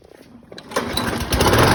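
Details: 2004 Craftsman 917.374430 mower, B&S 6.75 HP (125K02-0371-E1), primer start without auto choke, after work on the free basket-case machine: catches within a second, then the small single settles into an even, steady run without surging or misfire; normal start.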